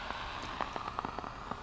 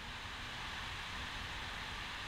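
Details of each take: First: LM1875 amplifier chip run at open-loop, very high gain: irregular crackling pops over a steady hiss, which is burst (popcorn) noise from a defective IC. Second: all you just hear is noise the hiss I'm not using a heat sink on this one because I'm running at low voltage and there's no real output signal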